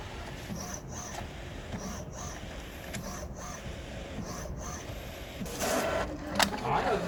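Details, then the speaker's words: HP OfficeJet 9010 multifunction printer with continuous ink system, printing in quiet mode: high-pitched squeaks about once a second over soft shuffle. "지금은 소리가 어떤 거예요? 쓱쓱 소리 나랑 네. 지금 끼끼 소리 나잖아요."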